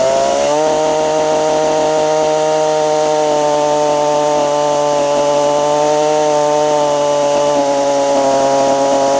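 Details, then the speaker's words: Stihl FS45 trimmer after a carb, fuel line and filter replacement, not yet adjusted, cold outside: a steady, high buzz at full revs with a faint waver; the high-speed mixture screw may need a slight tweak. "oh almost sounds like the high side might need to be pulled out just a little bit but oh"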